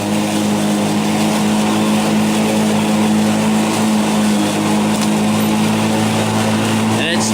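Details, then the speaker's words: Black & Decker battery mower, third year, on a new replacement battery, in very tall grass after eight or nine days' growth: steady hum holding one even pitch with no sag; no power reduction compared with the old battery. "so far it doesn't seem to have been any reduction in power this whole time certainly look not like the old battery so let's see how it goes"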